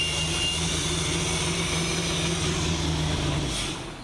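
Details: 23' Chaparral 2330 sport boat salvaged after engine fire, quick start with water on to test the pump, water coming out: steady low inboard V8 rumble at even pace, no knocks or misses; pump working, normal running.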